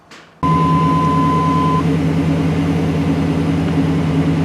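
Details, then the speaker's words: Chevy/GMC '88-'98 SBC 350 at 106,000 miles, after new spark plugs, wires, cap and rotor: it catches instantly and idles steadily with no misses; 45 psi oil pressure, charging, no check-engine light. "Okay, so fired right up. 106,000 miles, new spark plugs, wires, cap, rotor."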